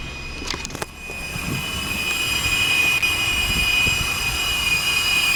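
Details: 2000 Acura TL at idle after knock sensor replacement with intake plenum removed and refitted; steady high-pitched whistle from the AC compressor side as RPM rises and surges; owner suspects a broken vacuum hose elbow, unconfirmed.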